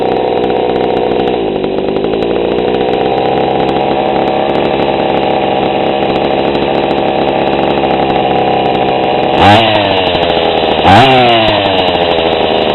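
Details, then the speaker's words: GoPed GSR40 two-stroke with 603 carb and TGN manifold, low needle at 1¼ turns out on the bench: an even, crisp idle with a steady pitch, with two short throttle blips that rise and fall back cleanly. The idle is set below clutch engagement yet high enough to avoid plug fouling, giving a normal idle. "and the idle is about right you don't want the idle too high where your uh clutch is engaging and you don't want it too low where you're going to foul plug at long idles"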